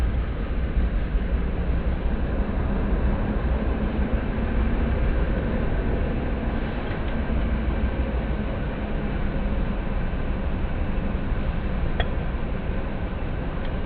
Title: Suzuki GD 110s Engine Noise problem Timing Prose's+Timing Chain vibration